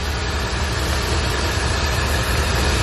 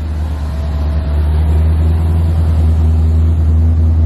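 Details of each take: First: C4 Corvette after sensor replacement and TPS adjustment: loud, steady idle drone with no hissing air leak; idle much improved and settled. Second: C4 Corvette during TPS adjustment, after replacing the coolant temp sensor and clearing a vacuum leak: after a rev the engine holds a fast, steady drone instead of dropping back down; idle speed stuck high.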